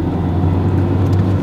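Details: Renault Megane II 1.6 16v petrol, repaired after the timing jumped and it stopped while driving (belt changed a month or two earlier): steady low drone with an even hum under light road noise, no knocks or ticks; runs very well now.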